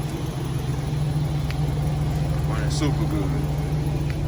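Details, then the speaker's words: 2001 Chevy Express van, 4.3 V6, after spider injector, coil and distributor replacement; cold start at 35 degrees, no starting fluid, no service engine light: catches and settles into steady, even low idle with no misses; running great. "okay guys here we go no service engine light it's running great wow that's what it was"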